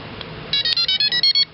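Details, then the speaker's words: Kayak trolling motor on rudder with remote-controlled electronic speed controller: on power-up, seven short high-pitched beeps in quick succession then a final chirp, green light and internal fan running; ESC arming normally. "So step by step, you turn it on. You hear a little beep. You see a green light."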